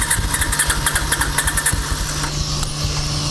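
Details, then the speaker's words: Honda sidecar motorcycle restarted cooled down after a car wash, using starting enrichment (choke): it catches with uneven pulsing for a couple of seconds, then settles into a steady low idle; everything works. "Cooled down, wants a starting enrichment. Well, everything works."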